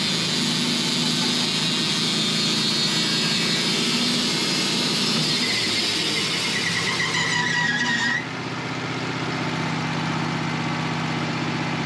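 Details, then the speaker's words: Pine log being sawn into 1-by boards when the steady high blade whine turns into a harsh metallic shriek and sudden tone change: the saw blade cut through an embedded nail, afterwards leaving deep grooves. "well I just cut through a nail oh that's not good no and that was loud"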